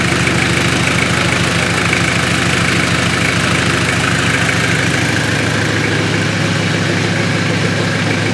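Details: Mitsubishi Triton 4M40 diesel engine after overhaul: steady diesel clatter at an even beat, about three pulses a second, no misses or heavy knocks; engine sounds healthy.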